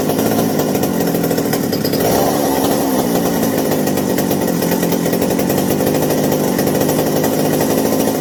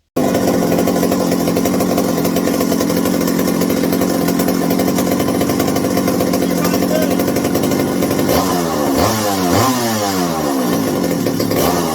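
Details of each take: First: McCulloch 790 chainsaw after new 090 carburetor and replacement spark plug (previously a bad plug plus carb issue): steady high-revving two-stroke buzz, no stumbling or surging; running clean and smooth, as it should. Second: McCulloch 790 (MC101) chainsaw after fitting a new 090 carburetor, throttle linkage binding: idles steadily, revs climb and fall in sluggish sweeps; high-speed circuit activates late in the running cycle.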